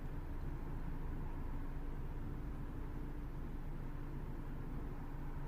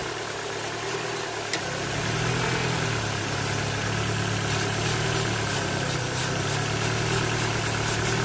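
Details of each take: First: Ford Focus 1.6 petrol, previously high fluctuating lean idle, after vacuum leak repair: low even rumble at about 768 rpm, fuel trims dropping; smooth normal idle with no hunting. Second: Ford Focus 1.6 petrol idling high, lean and slightly uneven with fluctuating revs; the revs change as a spray of starting fluid reaches the intake vacuum leak, which is the fault.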